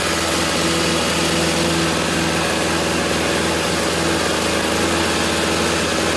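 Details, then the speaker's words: 1997-1998 curbside snowblower after a new carburetor and cleanup, primed, choke in middle: small single-cylinder engine runs at a constant, even idle without hunting or misses; healthy. "Put a $13 carburetor in it, and it is up and running and ready to go."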